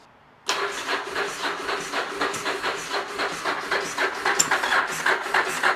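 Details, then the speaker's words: Yamaha XV1000 Virago V-twin, high-compression build with 750cc heads on the 1000cc engine, about 180 psi, first start: sharp metallic clatter ticking three to four times a second right after start-up; valves striking the pistons. "That's not good. That's making a sound. That is not good at all."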